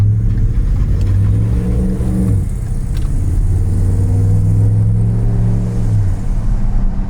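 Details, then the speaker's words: 2010 Ford F-150 Lariat V8, 4WD with tow package, hard acceleration while driving: the deep note climbs cleanly, drops at an upshift, then pulls again with no knocks or rattles; healthy engine under acceleration. "Obviously it's a truck, so it doesn't really accelerate super fast."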